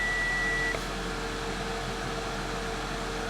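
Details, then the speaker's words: Audi A5, engine running: one clear high chime under a second over a steady engine hum, warning for parking brake and tire-pressure malfunctions, faults traced to the ambient temperature sensor. "Parking brake malfunction. Tire pressure system malfunction."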